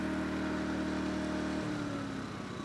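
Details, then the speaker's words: Yamaha EF2000iS inverter generator after cleaning the pilot jet to cure surging, choke in: smooth even hum in economy mode with no blips or hunting; normal economy mode idle. "mode no blips is that a beautiful sight or what"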